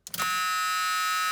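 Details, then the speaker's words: 1982 Ford truck after fuel pressure regulator install (about 6.5 psi running, over-fueling past needle seats cured): harsh high-pitched buzz starts at key-on and holds continuously; dash warning buzzer, cause unknown. "i need to figure out what that buzzer is i'm gonna get rid of that buzzer it drives me nuts every time this thing this key turns on"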